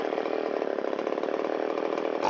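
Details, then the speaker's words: Shindaiwa 360 chainsaw, long-stored, Walbro WT-89 carburetor, after a second quarter turn in on the idle mixture screw from slightly rich, air filter and cover off: steady, crisp, even two-stroke idle without hunting or stumbling; RPM comes up. Normal idle. "We'll go another quarter turn. Wow, it likes that."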